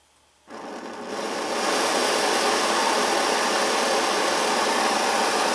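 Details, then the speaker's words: Svea 123 backpacking stove, warmed up: sudden light-off, then smooth even hissing roar that swells and holds steady; burning cleanly. "It's a great running little stove. See how precise that flame control is?"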